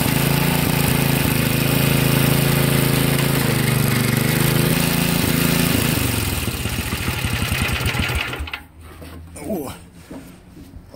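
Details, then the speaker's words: 1963 MTD Lawn Flite lawn tractor, first start after all ignition components replaced: small engine runs with steady, even chugging for several seconds then winds down, fires cleanly; runs okay, though the clutch doesn't disengage. "the clutch is not working put it in gear and it just takes off but it's running okay"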